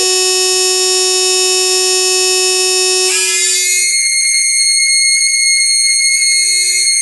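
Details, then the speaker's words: Bose L1 Model II portable PA driven by a signal generator into the analog input: after about a minute it buzzes, cuts in and out as signal rises, and whistles high-pitched at zero signal, power light flashing red in time; amplifier fault suspected. "okay I've only run it for about a minute or so and this is what started [Music] happening when I turn the signal up to a certain extent it cuts in and out when I turn the signal down all the way it just does that high pitch whistle"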